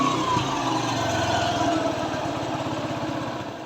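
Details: TVS Sport single-cylinder bike after engine rework for a noise problem, at idle: steady, even putter with a regular beat and no knocks or rattles; engine running sweetly and healthy, to be run at raised rpm for half an hour before handover.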